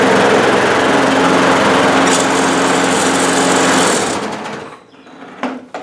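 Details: Bolens 21-inch 4.5 HP self-propelled push mower, first start in six months after primed start and drive belt change: small single-cylinder engine buzzes at a fast, even clip with no misses or knocks, then shuts off; runs healthy.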